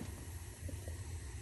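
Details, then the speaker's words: New Yorker boiler after replacing the gas valve whose weak 24 V solenoid buzzed and chattered; steady soft low flame roar with no buzz or chatter — burner firing cleanly, valve quiet. "Houston we've got lift off and this no longer is is buzzing"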